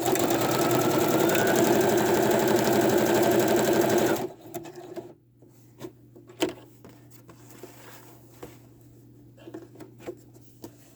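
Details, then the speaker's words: Sewing machine stitching fast and evenly with a light tapping about four times a second in time with the needle, attributed to the metal bobbin and considered harmless. "i have a metal bobbin in my sewing machine and that's what's making that clicking noise in there which is all good"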